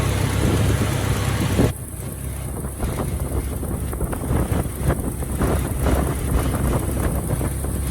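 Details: Starion/Conquest G54B engine after reinstallation, distributor moved one tooth and timing set to 10 degrees BTDC; smooth, even low idle with steady beat, no knocks or misses: normal idle.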